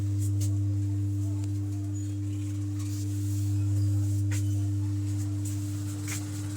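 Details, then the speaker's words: Ordinary home theater with working USB board: subwoofer outputs only a constant low hum with a faint higher overtone and no music, unchanged by volume or bass controls; faulty subwoofer amplifier IC. "लेकिन इसका subwoofer में जो sound है शायद आप सुनाई पड़ रहा होगा इसका सब ऊपर में साउंड नहीं आ रहा है साउंड आना चाहिए लेकिन इस तरह का साउंड आ रहा"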